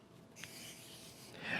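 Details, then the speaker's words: New KastKing Valiant Eagle BFS reel, 5.5 kg drag with no drag clicker, slipping: a short, dry scraping rasp with no clicks. The owner believes the carbon disc drag washers are dry, not lubricated, which causes this rubbing sound. "I believe that has the carbon disc washers dry, not lubricated, which is why you hear that kind of rubbing sound."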